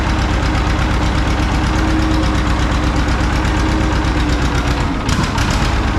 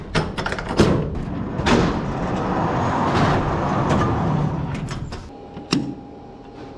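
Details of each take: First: John Deere 530 old two-cylinder tractor idling in winter, not run since hay-wagon use after a no-start with a shot battery; slow, heavy, even popping near three a second: healthy normal idle. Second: John Deere 530 two-cylinder tractor, not run for a while, cold winter weather, battery known shot: uneven cranking with scattered firing pops, brief stall, then catches and runs roughly with a little throttle; hard starting.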